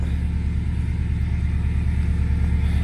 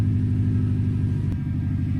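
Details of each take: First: 1997 Subaru GC8 with STI engine swap, just after first start in a long time, in neutral: deep steady flat-four exhaust rumble pulsing about three times a second, even, no knocks; sounds great. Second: 1997 Subaru GC8 with STI engine swap, just started after long sit, cold: even fast rumble idling a bit high, no stumble; new check engine lights on, owner unsure why, maybe an unplugged connector.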